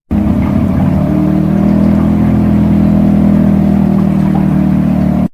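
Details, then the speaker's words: Dishwasher making a loud, steady low hum that drones on without a break; it later tripped the circuit breaker. Loud circulation pump hum from a jammed pump. "It's making a really loud humming noise. Like it sounds something like this."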